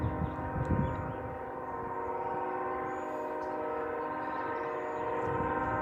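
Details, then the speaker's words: Distant locomotive horn, possibly Union Pacific, stuck on near a house and reportedly sounding for about 5 hours: one steady chord that never cuts off, consistent with a horn valve stuck open. "This is so annoying. It's been going for like 5 hours."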